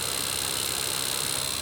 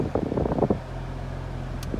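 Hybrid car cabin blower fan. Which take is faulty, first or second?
first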